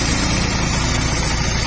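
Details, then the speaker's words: Motorstar Easyride 150 single-cylinder motorcycle, previously noisy, idling steadily with no rattle after valve clearance, timing and tensioner adjustment; even low thrum. "Ayan Okay so Okay na Yung kanyang timing mga pre Okay na Yung kanyang ah tawag diyan yung ah ah tensioner niya mga parekoy so so far Wala naman ah okay naman siya okay na siya"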